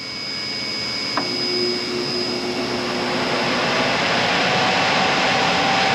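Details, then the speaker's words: Homemade DIY shop dust collector with 20-inch three-micron air conditioner filters, test run: even airy fan rush with faint steady hum as air passes the filters, no rattles or pulsing; working, hum may need change. "it does tend to make a little bit of a humming noise as the air goes through it so that could be interesting"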